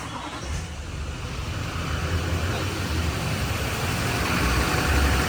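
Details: Silverado Duramax 6.6 diesel 4x4 after Hurricane Helene salt-water storm surge, started for a leak check with the electric fuel pump priming: low rumble builds smoothly to an even beat, no knocking or stumbling. Normal diesel idle.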